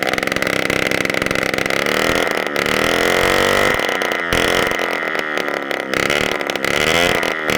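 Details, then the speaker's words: 1987 Honda Aero 50 scooter, two-stroke, first start of a restomod after the carburetor was cleaned and fresh gas added, kickstarted and running with the muffler removed: harsh, very loud crackle with a wavering, uneven idle; loud open exhaust. "If it fires up with the muffler on, because if you notice, it was super freaking loud, then there's nothing wrong with the muffler itself."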